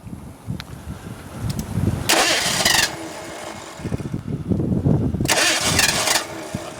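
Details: 1986 Ford Mustang GT 5.0 V8 convertible: the engine catches, gets two sharp throttle blips to keep it going, then sags rough and uneven between them; it won't hold idle unassisted.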